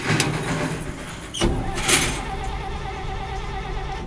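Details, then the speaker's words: 1957 International truck on a freshly installed battery. The starter spins the engine briskly and evenly but it never fires; the fuel system, with its fuel pump and sediment bowl, is checked next. Normal cranking, no start. "well I got the battery I got the battery in and uh cranks over nice"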